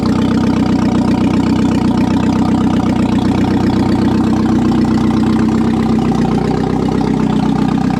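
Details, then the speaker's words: 1997 Audi A4 B5 after an engine install, running on a temporary non-turbo setup: smooth, even low idle with a steady rumble and no knocks or ticks. Normal, healthy idle. "right on i'm happy with that that's a good year's worth of work i don't know it sounds good"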